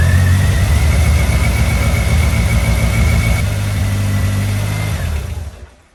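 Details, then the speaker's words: Eagle Talon DSM first start after 12-year full restoration: engine catches and runs at a deep, slightly uneven, wavering idle, then shuts off; idle not yet settled, later adjusted via the idle screw. "So as you've seen, it started. And since that little bit of a video where it started, which made me very happy, it definitely had some issues, we'll call it, but some of it I knew I'd have to do as far as tweaking a bit too."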